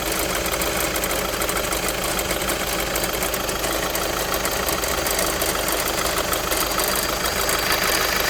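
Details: VW 1.6 TDI (Touran/Golf/Polo) diesel at steady idle: busy, uneven rattling chatter over the engine from the failing accessory belt tensioner pulley.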